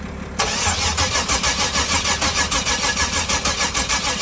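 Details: 1994 Camaro, crank no start: the starter churns steadily at about three turns a second and never fires; an ignition checker shows the coil pulse inconsistent with engine rotation, possible bad ECM, needs further diagnosis.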